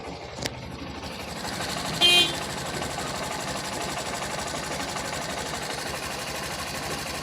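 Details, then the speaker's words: BS6 Honda Shine that had no compression and wouldn't start, after engine repair and reassembly: electric start, then a small single idling with an even, quick patter and no knock or rattle. Healthy idle. "अब इसका जो engine का sound है वो आपको हम सुनाएंगे तो मैं लगाता हूं इधर पर सेल ठीक यहां पर बाइक स्टार्ट हो गई"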